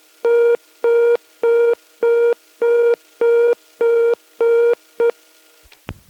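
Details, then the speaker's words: British telephone exchange sounds, 1971, German PABX ringing machine busy tone: even on-off mid-pitched beeps, about nine bursts in five seconds, steady and clean; normal. "finally here the dial tone ring tone and busy tone of a packs fitted out with a transistorized turn generator"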